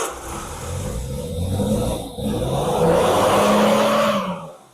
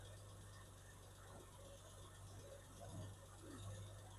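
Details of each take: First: 1969 Triumph Vitesse, first start in about 2 years, fitted with new plugs, choke on and some fuel: it catches easily, runs lumpy and uneven for a few seconds, then dies. The owner thinks it had too much choke. The throttle cable is badly frayed. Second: 1969 Triumph Vitesse during restoration, first start in about two years, carbs not yet balanced: quiet, steady low hum at tickover, dead smooth, not tappy, no top-end ticking; engine idling healthy.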